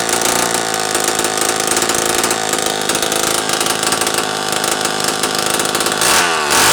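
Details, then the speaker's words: Homelite Super 1130G chainsaw after replacing an out-of-range, swollen condenser, muffler off: loud, raspy, high-pitched buzz holding a steady fast run with no misfire gaps; now fires and runs fine. "I would have the muffler assembled, but that's not good. I'll have to put a helicoil in there so that I can actually put this back together and run it without it sounding like, well, a ratted out dirt bike."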